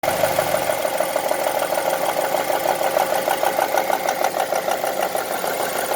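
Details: 2002 Honda CR-V engine on 10W40 oil: a steady light tick about three times a second over a smooth idle, a ticking noise from the top end with the cause not yet known.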